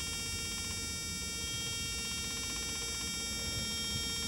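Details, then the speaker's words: Truck APU after new oil, fuel and air filters, with a newly replaced fuel pump: steady high-pitched electric buzz holding evenly with no stutter; the new pump is running and priming, a sound not heard before. "oh I hear I hear it pumping I didn't hear that"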